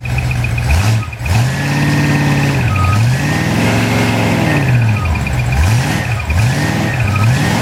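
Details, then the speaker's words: Ford 390 FE big block from a 1965 Galaxie: reconditioned bottom end, C4AE 4V heads, 2V manifold, on a test stand before run-in. Big V8 idling and revving runs beautifully, but a thin high chirp keeps pace with engine speed; suspected alternator or water pump. "so the alterator or the water pump making that noise it runs absolutely beautifully"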